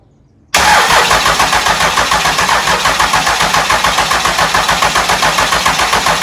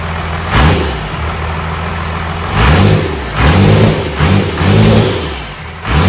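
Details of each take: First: Engine with flywheel cover left off so mouse-nest debris can fall out: the starter churns evenly, about four turns a second, for about nine seconds and never catches; cranking no-start from air in long fuel lines, ether planned. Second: First fire-up of a newly installed diesel engine, sitting on the floor, after bleeding air from the fuel system: it settles into a steady diesel clatter and quick rev blips return cleanly; healthy start.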